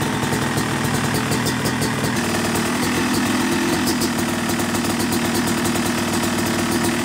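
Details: Yamaha YZ250 two-stroke motocross bike (270cc/250cc), first start-up on the third crank after full engine rebuild (bottom end, transmission, bearings, clutch, power valve), break-in; crisp idle with a light blip then steady crackle; normal, healthy running.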